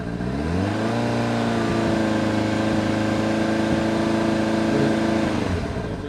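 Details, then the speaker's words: 1999 Kawasaki ZRX1100, sitting neglected twelve years, airbox deleted, carbs not set to specs, cold: held at raised revs sounds wavering and flat rather than crisp; uneven revving, owner suspects 100 main jet too small. "It's been sitting here for a while, so it's probably a little bit cold, but it's not quite where it needs to be, as you can probably tell when I open it up a little bit."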